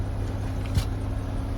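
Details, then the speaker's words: Buick Lucerne after replacing spark plugs and wires for a misfire: low steady idle hum with no skips or stumbles; engine running smoothly, no misfire felt, remaining code believed old. "That feels fine. I don't feel a misfire."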